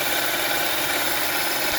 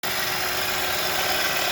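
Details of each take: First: 2011–2017 Honda Odyssey after rebuilding the leaking, noisy-bearing power steering pump with new bearing and gaskets, fluid topped up and air bled by turning the wheel: smooth, even idle hum, no whine or growl; pump healthy. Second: 2011-2017 Honda Odyssey 3.5L V6 idling, steady hissing whir with a faint constant hum from a worn bearing inside the power steering pump, which also leaks fluid; pump to be rebuilt with new seals and bearing.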